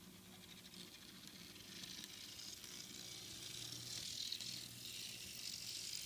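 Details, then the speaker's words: Walthers GP38-2 Santa Fe model locomotive running backward on the track after reassembly: a thin, high, gritty whir with a faint ratchet, the reverse gear noise likely from the trucks. It is expected to wear in and subside, and it doesn't slow the engine. "Still making a little bit of noise, but I think as it goes around the track a few times and it wears down, I think the noise will subside and then it will be okay."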